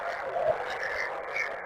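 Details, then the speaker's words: Ham radio special event station, 80m band considered as bad: rough wavering hiss filling the voice range with no signal underneath, electrical interference identified as solar noise. "look, that's electrical noise. And that noise is solar noise."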